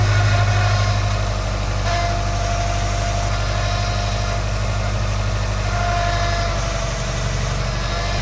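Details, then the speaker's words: 2010 Subaru Legacy GT idling during a power steering fluid flush, fluid just topped up (overfilled): rough uneven groan with faint whine; owner believes the power steering pump is bad and needs replacing. "All right. As you can hear, sounds like crap. I'm definitely going to end up having to replace my power steering pump."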